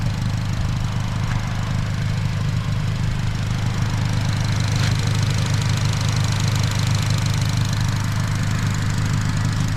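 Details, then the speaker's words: 2008 Honda Civic Si (FG2, K20Z3) after a new starter fixed its no-start breakdown: steady, even low idle rumble with no misses, knocks or clicks at constant level; healthy smooth idle. "It was the starter, bro. Yes, sir. Let's go, bro. I got it, dude. I figured it out, y'all."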